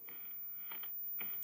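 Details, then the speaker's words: Vintage 1960s Lotus television set, powered up with vertical frame stage running and buzzing: faint irregular crackles and pops over quiet hiss from the small speaker, intermittent; speaker crackle, fault in the audio path. "I can hear frame Buzz okay well the vertical stage is running oh we have we have cr we have cracklidge from the speaker"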